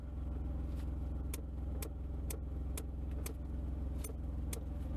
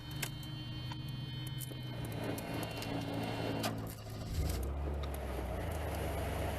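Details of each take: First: Mercedes diesel (W123/W124/W126 family) after replacing a blade fuse: sharp, dry clicks about twice a second over a steady diesel idle, clicking from the climate control while the heater is on and stopping when it is off; cause not confirmed. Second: Mercedes 300E (W124) blower after replacing the special blade fuse: smooth, steady fan hum shifting speed partway with no squeal or rattle; the blower works again, though the switch is bad.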